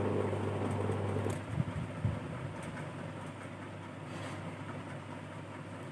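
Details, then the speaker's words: Three-speed cooler motor after corroded aluminium winding leads were cleaned and reconnected and the capacitor replaced: low steady hum stepping between low, medium and high speeds, running evenly without rubbing, rattle or heating. "मैंने इसे सीधे connect कर दिया है। और यह घूम रहा है। आप इसकी आवाज सुन सकते हैं। यह मध्यम है। क्षमा करें, यह कम है।"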